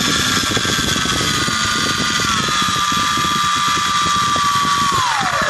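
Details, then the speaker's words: New Turnigy D2836/8 1100kv brushless motor: high whine dropping as throttle eases, with rough rattling underneath, bearing noise heard on backing off; bad bearing. "okay so it sounds well when it starts off and then when you back off you can hear the bearing noise"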